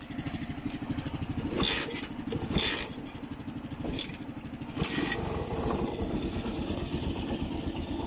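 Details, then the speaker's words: Kawasaki Barako single after top overhaul (new MTK cylinder block, valve seals; previously smoky, burning oil, ticking, hard starting from tight valve and off timing): steady even idle putter, ticking gone; normal idle. "Tahimik na ngayon oh. Nung buhayin to kanina ni Ka Joel, unang buhay pa lang, nawala yung lagitik niya."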